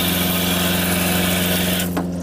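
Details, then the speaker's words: Jayco RV water pump that had run without pumping water, now primed; even steady motor hum with a firm low drone, then winds down when the tap shuts and the pump stops; normal operation. "water off pump stop"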